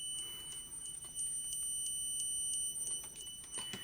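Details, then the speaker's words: Low-cost multimeter on continuity test: thin high beep breaks into rapid irregular clicks instead of a solid tone as the buzzer chatters while sampling, a flaw that can give misleading readings. "I put it in to the continuity test and listen as it's sampling it's clicking and depending what your testing that could give you misleading"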